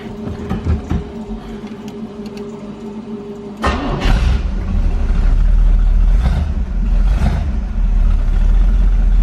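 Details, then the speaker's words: Corvette V8 after restart, newly fixed plug wires, weak battery on charger: rough idle with loose puffing tick riding the exhaust pulses; air felt at passenger-side collector, exhaust leak at the collector donut gasket. "Definitely got an exhaust leak. I did pick up an exhaust donut for this passenger side. I hope that's what's leaking."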